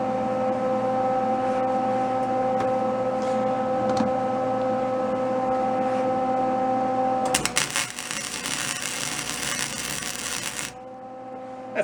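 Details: Old discarded Lincoln welder, revived after sitting, welding cleaned hot-rolled steel: after a hum, a steady even crackling sizzle for about three seconds without popping or sputter; settings dialed in correctly.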